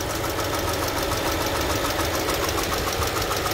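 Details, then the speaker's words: 2018 Mercedes-Benz A200 W176, 160,000 miles (256,000 km): steady idle with loose, uneven tapping about three per second; variable knock, cause not yet found, no smoke, coolant leak also noted. "okay as you can see there's no smoke or anything bad but that knocking noise is to be variable"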